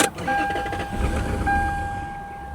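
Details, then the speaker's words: Lexus LS400 abandoned 10 years, start attempt: sharp pop right at start, then engine stumbles and fades; backfire. "Come back to life. Oh, she backfired."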